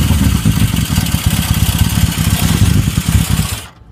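Air-cooled four-cylinder motorcycle engine running with a rough, clattery knock over a deep exhaust note. Cause suspected, not confirmed.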